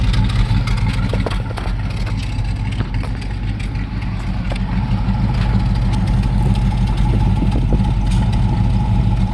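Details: LT1 V8 at idle with a lumpy, uneven beat and occasional stumbles. The misfire is on the driver's side bank, which shows black sooty exhaust.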